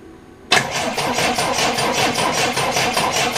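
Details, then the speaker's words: Triumph Dolomite cranking after static ignition timing was set: a steady churn with no catch or firing. A tester across the coil's positive and negative terminals shows no power reaching the ignition coil, so there is no ignition. "really need to be on this back from the coil when I first interject see if there's any power to the coil so that's the positive and that's a negative but if you can see for me out it I'm getting nothing a coil absolutely nothing"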